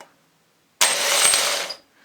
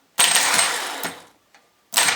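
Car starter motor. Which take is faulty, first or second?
first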